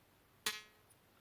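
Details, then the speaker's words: Hohner Arietta accordion reed during restoration, cleaned of glue and wax and sanded under the tongue with 400 grit: one sharp pluck rings bright and clean, decaying smoothly; the reed tongue vibrates freely. "You can kind of hear how well the tongues, yeah, you can hear how well it was pinging."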